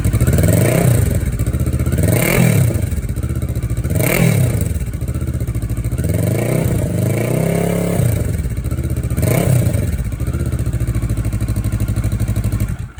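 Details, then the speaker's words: 2013 CFMoto 650NK parallel twin with Musarri Black GT slip-on muffler, held with foil after the clamp bolt snapped, muffler having just popped off: repeated blips from idle rising and falling cleanly, deep even note, no rattles. "I was just getting that last little bit out of it, and then bang, popped off. But you can still hear what it sounds like."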